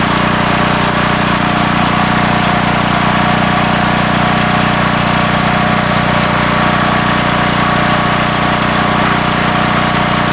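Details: Coleman Vertex 7850 W vertical generator, 15 hp Gentech Pro overhead-valve Briggs & Stratton, electric start, new battery, in the family since 2000: loud, even drone at steady speed, no misses, knocks or surging; normal running.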